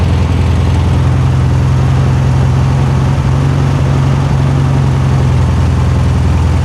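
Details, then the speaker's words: 1973 Super Beetle air-cooled flat-four back running after 20+ years, fan belt/strap adjusted, timing not yet set with timing gun; steady, even low idle, no knocks or rattles, no major leaks, sounds healthy. "sounds good no major leaks like I said I still have to hit this with timing gun and all that stuff"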